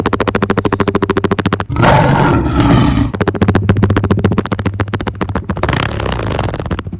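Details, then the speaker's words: Pit bike with the exhaust baffle pulled out and the airbox baffle also removed: loud, throaty popping exhaust with sharp revving blips, far louder and rougher than stock, like a roaring lion. "Now if we just take the baffle out, throw it on the ground, and now she sounds like a roaring lion."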